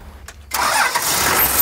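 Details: 1984 Toyota LandCruiser HJ47 with 2H diesel, unrun 19 years, glow system bypassed by previous owner: short crank, then catches at once and settles into a steady, even idle; starts and runs fine.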